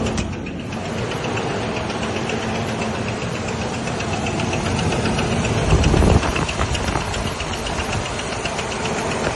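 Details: 2000 Ford Ranger XLT at steady idle with a quick, even tapping about four times a second; internal engine knock, owner says it is not the crankshaft or camshaft, source not yet found.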